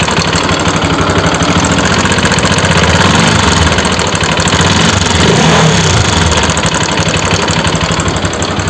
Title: RS 200 ENGINE NOISE/FULL VIDEO TOMORROW..